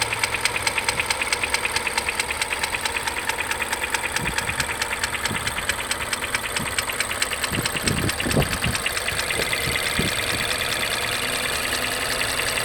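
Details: Mazda 3 BP engine with a fast light rattle about three a second plus occasional louder knocks at idle between 550 and 900 rpm; hydraulic lash adjusters already replaced; source not pinned down.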